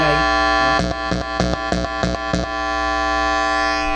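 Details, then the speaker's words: Amp powered on, volume up, 3 m shielded anti-hum muting cable (L-type and straight plugs) plugged in backwards: steady buzzing hum with stacked tones and handling clicks; silent when L-type end reconnected correctly; ground hum from reversed cable. "Yan siya. Pagka binaliktad mo, maingay."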